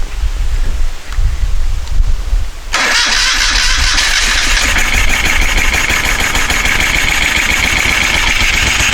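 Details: 1973 Moto Guzzi Eldorado, first start in 25 years after tank coating and carburetor cleaning: starter whirs and the engine turns over steadily but never fires; cranks without starting, likely fuel not yet filling the carburetor/choke bowl.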